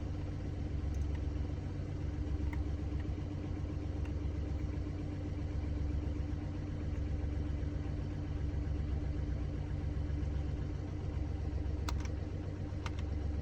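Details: Mini Cooper D three-cylinder diesel idling with uneven rattling low thrum and slight judder; mechanic diagnosed broken, worn dual mass flywheel carrying clutch springs; juddering after clutch lift reported.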